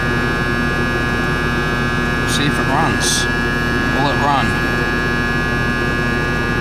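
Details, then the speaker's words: Ruud AC unit that trips its breaker, on a start attempt after wiring the purple lead to the capacitor: loud steady buzzing hum that never picks up into a running compressor; a short seen, and it is suspected the compressor is shorted. "Wow, something fucking shorted there. I wonder what the fuck was. Wow. You see that? Fucking short. Wow, compressor's shorted or something's fucked up."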